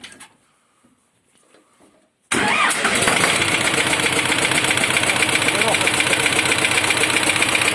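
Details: Engine started cold at −17 °C, settling into idle with a steady quick knock, suspected detonation from cylinder 3; source not confirmed.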